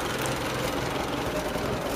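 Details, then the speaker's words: 1923 Fiat 501 four-cylinder, warm, radiator just refitted. Uneven, chopping exhaust beat at idle that stumbles now and then. Intermittent misfire; owner suspects the valves, and carburetor adjustments only partly helped. "we've got to fix now is that damn chopping at the back if you can hear that coming out of the exhaust i think it's just the valves"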